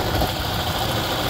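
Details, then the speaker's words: 2016-up Toyota Fortuner: rough uneven idle with light metallic rattle from the front accessory drive; alternator rear bearing and pulley suspected, pulley still to be checked. "Okay mga paps, nalaman natin kung saan nanggagaling yung ingay. Ayan, makalansing. Lumalagitik,"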